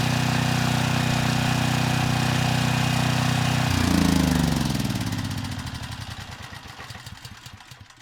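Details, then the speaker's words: 6,000 watt Troy-Bilt generator after AVR adjustment: steady, even drone, then a smooth rundown to a stop; normal running. "The voltage, it came up to 118 volts. This time, the engine didn't make any strange sounds, and I don't smell anything unusual."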